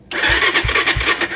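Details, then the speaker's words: Carbureted ATV sitting in winter cold, carburettor not dirty: starter grinds through slow compression strokes about three per second with no firing; cranks but won't start from water in the float bowl. "Yeah, that's never a good sound. I mean, the that's a good sound, but it's not good that it doesn't start up afterwards."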